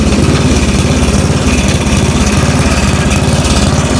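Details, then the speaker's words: Snapper riding mower: a loud engine with a harsh, heavy throbbing shudder about twice a second once the blade is engaged; the blade is out of balance from a broken lift fin. "All right, just out of the blue, my mower just started going crazy. The blade was just sounding like it hit something, or was maybe loose, you know, coming off or something. Very horrible sound."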